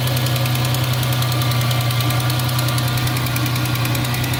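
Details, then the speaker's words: 2003 Mustang at idle after coil pack replacement for codes P0316, P0302, P0304: smooth running with a quick, light ticking from an exhaust leak at the manifold. "you can still hear the exhaust leak that is down there by the manifold but other than that everything's really really smooth"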